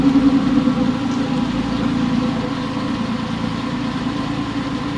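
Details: Porsche 911 996 C4S M96 flat-six idling months after earlier ticking, no repairs made; smooth even idle, steady low hum, no ticking. Owner attributes earlier tick to a sticky lifter. Normal idle.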